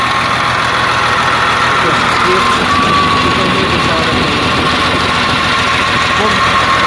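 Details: CAT 950H wheel loader diesel, error code 36 for number one injector open circuit: loud idle with an uneven, lumpy beat instead of a smooth run. One cylinder missing because one injector is not functioning, so low power.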